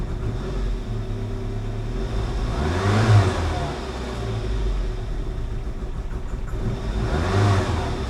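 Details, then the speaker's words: 1988 Saab 900 Turbo, long-stored restoration, throttle almost floored: engine note swells but revs barely climb and fall back, stumbling with no power; owner suspects cheap fuel pump or fuel injectors. "it stumbles though when I try to give her gas is it our super cheap fuel pump that's that's almost floored and it's not going"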